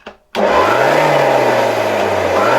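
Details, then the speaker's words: 1989 Zelmer 268.6 vacuum cleaner, type 300 motor, run through a voltage regulator at slightly reduced voltage: spins up to a loud rough roar over a gritty rumble with knocking; switch works, motor bearings are worn and need replacing. "Tak bardzo hałasuje, ale wyłącznik jest sprawny. Silnik generalnie jest sprawny."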